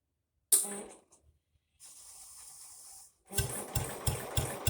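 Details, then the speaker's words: Jacobsen Chief 800 lawn tractor pulled from the weeds after long storage, first start on an old battery with brake cleaner sprayed into the carburetor: uneven chuffs about three a second, stumbling. Owner suspects dirty old fuel and plans carburetor research. "Probably gotten down to the dirty fuel now. Yep, time for some carburetor research."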